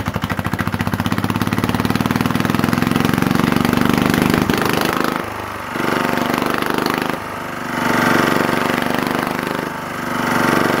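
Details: Lister Petter AC1 4 kVA single-cylinder diesel generator, 1980s British, 3000 rpm, after earlier no-start from suspected air in fuel resolved by extra fuel; steady rapid thump, slight pitch dips with load, clean firing; normal running.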